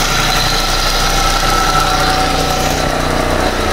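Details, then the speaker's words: Proton Persona Campro at idle: coarse uneven rumble about three beats a second, vibration strongest at the alternator when felt with a screwdriver; worn alternator bearing. "Okey sekarang ni dekat Spr ni kita boleh rasa eh dia punya gegaran tu. Jadi sekarang ni dia punya gegaran tu kuat dekat alternator ah."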